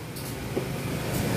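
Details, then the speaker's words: Suzuki Swift, engine running with AC switched on: rough crackling "krek-krek" rattle over idle, most likely from the worn original AC compressor; fix is replacing the compressor. "Hai dengarkan Suarez kecegat itu memang kemungkinan besar dari kompresor kompresor"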